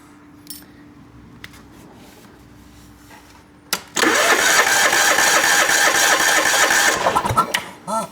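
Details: John Deere lawn tractor with a substitute, not-quite-right fuel pump fitted, pump pulsing: even cranking about four beats a second for three seconds with no firing; no start, suspected air leak in the fuel line, checked with a vacuum pump.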